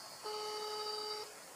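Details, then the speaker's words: Elephone P7 Mini phone, new, during a call: steady electronic modem-like tone from the speaker, stops when the speaker is disabled; also occurs on incoming messages; interference noise, source unknown. "speaker if I disable the speaker the sound stops it's like doing like like it's a modem I think it's something like uh that's not good"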